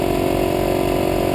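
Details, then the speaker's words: Harbor Freight 150 psi, 1.5 hp, 6 gal oilless compressor (HF 67696/68149), drawing about 1200 W, run from a borderline-capacity generator: at 1:45 and 75 psi, a deep steady drone with a heavy strained pulse; the generator labors under heavy load without tripping its breaker. "so we're at one minute 45 seconds and we're at 75 psi and you can hear the compressors really drawing the power on the generator"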